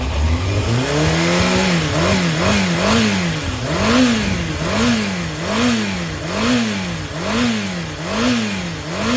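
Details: Yamaha XJR400 (4HM) complete running engine, compression tested, start-up check: smooth, even four-cylinder running with steady throttle blips about once a second, revs rising and falling cleanly, no knocks or rattles; normal running.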